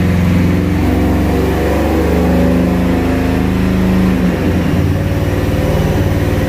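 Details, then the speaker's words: Ford SVT Lightning V8 truck on a dyno, second pass after changing the previous owner's MSD coils: hard pull under load with an uneven, stumbling beat and a brief sag mid-run. Misfire under load. "hey guys so we just got back from the dyno and uh yes we had some issues with the truck"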